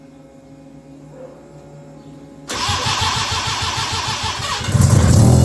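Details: Mazda RX-7 13B rotary mid-EFI conversion with 40% gas: quiet at first, then the starter cranks at an even four pulses per second but it never fires; no-start. Unsure whether it needs more gas or has too much.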